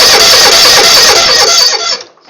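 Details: Cold Kohler V-Twin mower with single throttle/choke lever: starter cranks steadily about two seconds and the engine never catches; hard start because improper throttle cable adjustment keeps the choke from closing fully.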